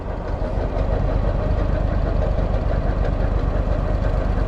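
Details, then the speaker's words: 2009 Walker Model T mower with Eaton Model 7 hydro transmission: at low idle a rough rotational hum and whirr that goes away when throttle is raised; failed hydrostatic pump input shaft bearing, fixed by replacing input shaft and bearing. "soon as i wrap the throttle up it goes away but at low idle you hear that rotational noise that guys is a bearing that has let go in my hydro"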